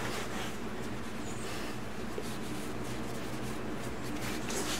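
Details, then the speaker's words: 2002 BMW K1200RS final drive after ball bearing replacement, wheel spun by hand: smooth even whir with only light brake pad rub on the caliper, no rumble, much quieter than the noisy old bearing. "boy that sure is a lot quieter than when I started isn't it all you can hear is the brakes hitting the caliper that was one noisy bearing"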